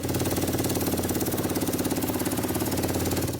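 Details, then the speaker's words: Car whose owner said it sounds like a machine gun: rapid rough staccato engine pulsing about three and a half beats a second; found to have a clogged exhaust causing restriction. "Turns out they had a pretty clogged up exhaust."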